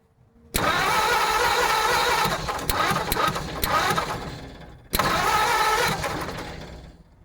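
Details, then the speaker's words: 1950 Ford F1 truck: two bursts of even cranking at about three to four turns a second, never catching. Points seem to spark; the owner is unsure whether the coil heats. Crank, no start. "But it's supposed to be doing something, and if I can't get this sucker to at least run for at least a minute, then the engine's probably no good, or the distributor is no good."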